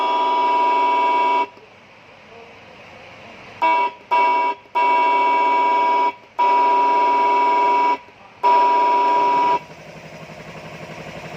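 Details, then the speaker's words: Siren module on a 12 V supply with speaker output connected: repeated bursts of a raspy, buzzy fixed tone that won't come out clear, like a short circuit, before servicing. Distorted siren output. "Baru kita coba nyalain. Nih. Nyala. Kita kasih pelumo. Nah, ngerosok kayak gitu suaranya."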